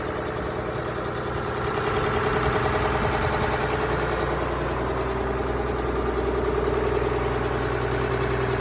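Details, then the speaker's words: Mack B61 semi diesel, leak developed and backfired a few times: loud clatter with a slightly uneven beat near two and a half a second, surging a little; running rough, cause not confirmed. "so we developed a leak that in there died on its own I don't know if you guys saw that I was getting some liquid out of the thing but it's backfired a few times"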